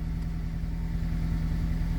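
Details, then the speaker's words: 2003 Honda CR-V (2nd generation), 334 (stated) kilometers, after fuel pump relay replacement cured crank-no-start and stalling: steady, even low idle with no stumble, miss or tapping; normal idle. "so this car has already 334 kilometers but it's still running right bye"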